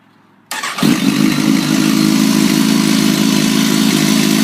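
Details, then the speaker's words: Kawasaki ZX-10R started in neutral after an air filter change and reassembly: quick crank, instant catch, then a smooth, steady idle with an even beat and no rattles or stumbles. Normal start and idle. "like a kitten. And that's it. Job well done."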